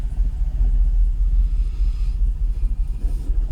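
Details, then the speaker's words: Jaguar XKR X100 V8 on a cold morning, idling then shifted into gear: low, lumpy idle, owner suspects not firing on all eight; rhythm sags in drive, near stalling; history of stalling and Restricted Performance warnings. "Well, it's fired up all right. I don't know. I don't think it's firing on all 8. Let's see what happens when I put it down into gear."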